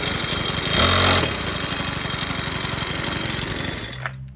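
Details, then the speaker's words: Craftsman 29cc 4-stroke wheeled edger after new fuel return line, tank cleaned of 2-stroke mix, oil change and fresh gas; chugs steadily with even beat, then shuts off; runs cleanly and healthy. "It's running now. Apparently all I needed was some fuel lines and tank clean out and stuff, and some good fuel."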